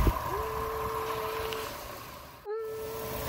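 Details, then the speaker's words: 2000–2005-era Chevy Impala (2005) at operating temperature after radiator replacement and a test drive, no leaks: a steady mid-pitched whine over the idle, dropping out then swooping back; a bad pulley bearing is suspected, not yet pinned down. "Sounds like we got a bad bearing on the pull, one of the pulleys. We'll probably tackle that in another"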